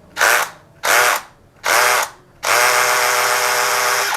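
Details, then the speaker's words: Drill in hammer mode, pressed back so the chuck strikes forward while rotating: three short bursts then a longer run, each with rapid buzzing rattle of forward blows, unlike plain screw mode: hammer mode impact working normally. "Tapi kalau kita sudah pindah ke mode hammer seperti ini, ini ada mode pukulannya."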